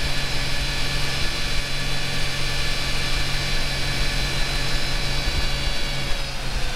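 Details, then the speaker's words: Jeep warmed up at idle after the belt was removed, its pulley cleaned and the belt refitted to cure a squeal above 2000–3000 rpm (owner first suspected the AC compressor bearing). Smooth, even idle, no squeal; normal. "Okay, seems like the squeal's gone. I didn't hear anything."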